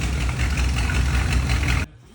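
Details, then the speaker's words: GMC squarebody pickup after ignition coil replacement: steady, even low idle with no stumble or surge until shut off; it now runs, idles and drives. "Replaced the coil, and it works. It drives. It idles."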